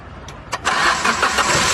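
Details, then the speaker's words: Maruti Suzuki Ertiga with no crank from the key, ignition on, started by bridging the starter relay socket pins with a single wire: brief starter whirr with clicks, then engine catches and settles into steady idle; normal crank and start. "यह देखिए car start हो गई।"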